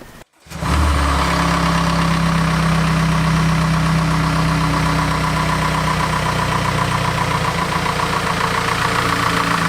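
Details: Audi A4 B8 2.0T just after spark plug replacement: quick crank, clean catch, smooth steady idle with no misfire stumble or rough shake; normal start and idle.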